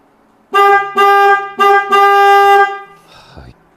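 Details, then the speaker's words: Denali Soundbomb Mini horn on a 2023 Kawasaki KLR650, relocated into a hole beside the coolant reservoir, with the cover back on: four loud, clear, high-pitched steady blasts in about two seconds. The horn works properly. "work so there you go I was originally going to title this video sound bomb mini epic failure KR 650 but as you can see we got it to work"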